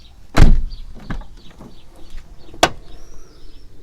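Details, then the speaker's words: Toyota Corolla E150 door opened after lubricating with Litol-24 grease: a sharp heavy clunk, then a second loud knock. Owner suspects worn door check rollers or guides that need replacing with the panel removed. "Черт возьми, извините за выражение, ужасный удар. И это просто ужасно. Скорее всего, износились направляющие, которые необходимо разобрать, заменить и снять всю панель целиком."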